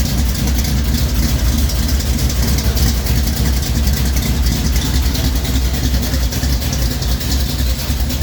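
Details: 1973 Plymouth Duster 440 V8 (bored .030 over) idling after a cold start following a week sitting: a loud, deep, even, choppy lope from a big cam through headers, steady; normal idle.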